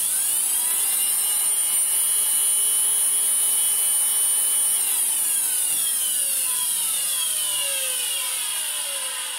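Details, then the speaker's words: Miele Complete C2 Cat and Dog PowerLine vacuum cleaner, sucked up water: harsh, high whirring roar with gliding tones falling as the motor slows; abnormally loud, cause not yet found. "this belongs to a cleaner client of mine it's one of her vs and apparently it has sucked up water and sounds terrible can I fix it and she's right it does sound terrible turn it on that will help"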